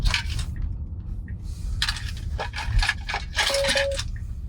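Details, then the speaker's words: Tesla Model Y (Hardware 4) driving on FSD: light clinks and rattles in irregular bursts over steady road hum; something loose rattling inside the cabin, source not yet found. "Sorry, something rattling around here. I'm watching. Yeah, I'm hoping you guys can't hear that. I gotta figure out what the hell's rattling around."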